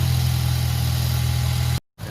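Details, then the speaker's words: 2010 Mazda3 at cold idle in the morning, engine not yet warm: steady deep drone with a faint uneven pulse, not running on all cylinders, shakes and won't accelerate in gear; bad ignition coil suspected. "เพราะว่าเครื่องมันเดินไม่เต็มสูบเนาะครับยังไงก็ไม่มีกำลังกลับออกไปอยู่แล้วนะแล้ว"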